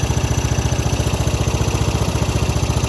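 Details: 1995 Craftsman LT4000 lawn tractor, single-cylinder engine, after sump gasket replacement: steady, even idle thump, no misses or knocks. No leaks at the dipstick, sump or seal; only the breather tube still seeps slightly. Healthy normal idle.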